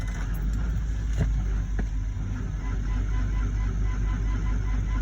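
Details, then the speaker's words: Chevrolet Suburban below zero degrees, cold-soaked after freezing days, weak battery on charge, full tank, oil pressure showing: dull slow labored cranking, uneven beat about two per second, not firing; slow cold crank, weak battery. "going she's not happy come on you got full tank just fire we got oil pressure oh this is so hard on the suburban"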